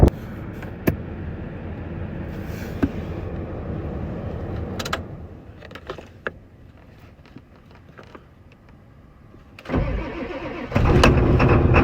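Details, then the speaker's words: 1996 Ford F250 7.3L diesel, previously very hard to start with code P1294, after replacing a faulty glow plug relay and the failed water-cooled IDM: a short crank, then it catches at once into steady clatter; a healthy cold start. "I went ahead and slapped it onto the truck, and I'll tell you, that truck has never started better. Going to do a nice little cold start."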